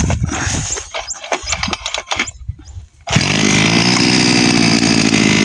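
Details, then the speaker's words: Small gasoline water-pump engine, primed and with the idle raised slightly before the cord pull. Rattling start, then it catches and settles into a steady, even buzzing run with no misses. Normal running; it starts very easily. "Ayun, napakadali lang paandarin."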